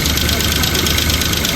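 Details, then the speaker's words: 2015 Kia Picanto with a blinking temperature light, towed in as a no-start and now running: steady idle with a fast, light engine ticking, attributed to lack of maintenance; still needs scanning. "Pero kailangan ma-scan tapos malagatik ang makina. Lock of maintenance to. Lock of maintenance."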